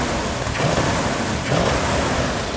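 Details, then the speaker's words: 1967 Plymouth GTX 440 Super Commando, new engine with the idle set down and fluids topped off, given a light rev. Deep even rumble swells smoothly and settles, no knocks or misses; sounds perfect. "There you go. How's it sound? Oh, perfect. Absolutely beautiful. That is the cam I want to put in all our engines."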